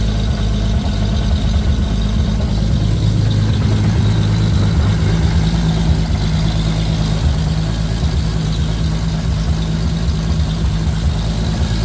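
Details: 2JZ-GTE swapped Lexus IS300 on a Fueltech FT550 with a base tune, at first start-up; a steady, even low rumble with no misses, knocks or ticks. Normal idle.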